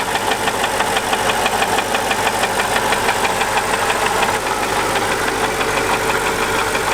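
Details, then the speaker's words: Older Mercedes AMG SUV V8 idling, about four quarts low on oil and blowing oil smoke: steady fairly quick knock about three a second; owner suspects piston ring issues, likely needs an engine. "but let's listen to this engine it's got a kind of a little knock going on all right guys here you go engine knock"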